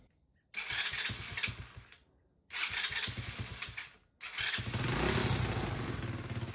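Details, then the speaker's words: Chinese 125cc ATV after a top-end rebuild (compression now 150 psi), on choke: fires up and dies twice, then settles into a steady, even idle; the engine runs healthy. "All right, guys. Well, as you can hear behind me, the thing is running fantastic."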